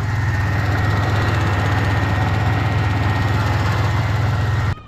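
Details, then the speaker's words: Pontiac Grand Prix idling during restoration: light, quick irregular tapping on top over a steady idle; not the engine itself but a loose plastic piece under the engine cover, believed to be the evap purge solenoid, banging against the engine. "take the engine cover off and investigate what's clicking it did not sound like it was the engine itself it sounded like it was a plastic piece on top of the engine that was just banging against it"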